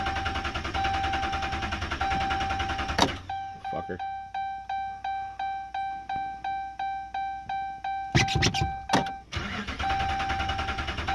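Starter cranks steadily at about three to four turns a second for several seconds, chime beeping, engine never catches: crank, no start.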